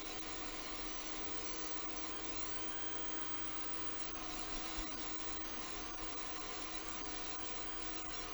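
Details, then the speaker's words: Cheap secondhand 3D printer with V-wheels and dual Z steppers, after fixing a header misplugged by one pin: even fan hiss, steady motor hum, soft stepper whirring, no grinding or skipping; prints normally, Z moves louder. "It's actually not that bad when it's printing. The Z-axis moving up and down is really quite obnoxious, but that's also when it's going way faster than it normally would."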